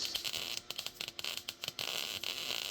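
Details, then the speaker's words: First-time MIG welding on scrap metal garden art: broken sputtering crackle smooths into a steady fast bacon-fry sizzle after about two seconds; that consistent arc is what you want. "you hear that consistency right there yeah that's what you're looking for"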